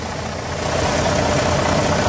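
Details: Volvo semi truck diesel idling after jump start with NOCO GB70 lithium booster: steady, even diesel clatter with no misses, knocks or hunting; running normally.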